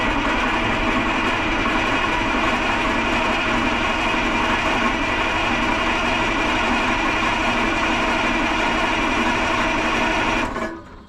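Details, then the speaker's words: 1980 Peterbilt 359 EXHD, 3408 Cat diesel sitting for years, cranking without starting: harsh clattering racket from the front over steady cranking churn, about four beats a second; owner says it badly needs a fan clutch, cause unconfirmed. "Boy, something up there in the front's making a whole lot of racket. Oh. Oh boy. It needs a fan clutch like nobody's business."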